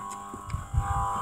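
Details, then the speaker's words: Electric Holley blue fuel pump feeding a Holley carb, with a new return line to the fuel cell, engine off: a steady, even mid-pitched whir plus a low hum, quieted by the return line; normal electric fuel pump operation. "and it's not too loud when the car is running so because it's bleeding off even more fuel into the carburetor"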